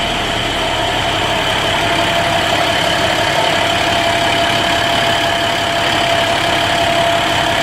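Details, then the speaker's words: 2011 International DT MaxxForce diesel in a bus, 83,000 km, after in-frame rebuild for no compression and blow-by from coolant in oil via failed EGR cooler: starts well, steady even idle clatter with no knocks, misses or hunting; normal idle. "But it starts good, it runs smoothly."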